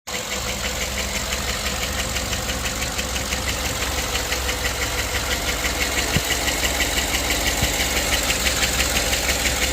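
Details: GM LS V8 at idle: regular sharp tick about three times a second and an uneven, loping beat; misfiring cylinder from a failed, collapsed lifter, isolated by commanding the PCM to shut off individual cylinders.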